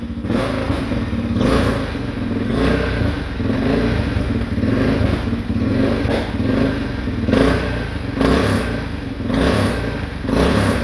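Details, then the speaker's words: 2013 Honda Rincon 680 ATV, first start-up after new cam installed (old cam locked up): rough, uneven running with puffing, blowing note and irregular surges; suspected exhaust leak at stripped clamp that couldn't be tightened, not confirmed. "Uh-oh. Something's blowing over here. I'll have to see what that's about. It might be an exhaust leak right there."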